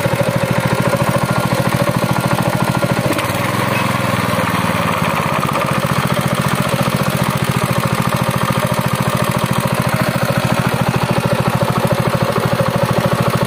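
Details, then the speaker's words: Honda GX200 engine driving a rice thresher, after repair for hard starting and low compression from a damaged cylinder head gasket: steady, even beat at constant speed, no misses or knocks, running smoothly again. "Nó cũng trơn tru và bình thường trở lại và đó là cách để giải quyết vấn đề này"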